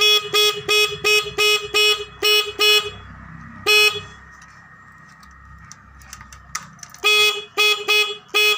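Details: Suzuki Satria FU motorcycle horn that would not sound, after opening the headlight shell and adjusting the horn's adjusting bolt: series of short, loud, clear honks, about three a second with a pause, bright and steady; horn working again.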